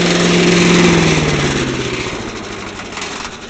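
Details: Little Wonder leaf blower repowered with a 5 HP Tecumseh engine from an MTD snowblower, with its housing bracket fastened (the housing vibrates badly if it is not). Steady, regular single-cylinder beat that fades evenly as it winds down. Runs fine.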